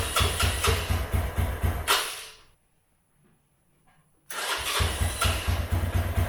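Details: Herald 125 motorcycle single, run outside after replacing the carbon-fouled plug and adjusting idle and mixture screw (was 5.5 turns out, rich): thumps evenly, cuts out briefly, then fires straight back to a steady beat; runs much better.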